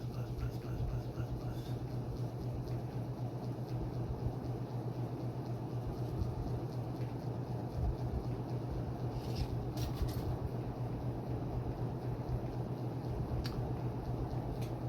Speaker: Alexa garage fans High hear it buzz buzz buzz buzzz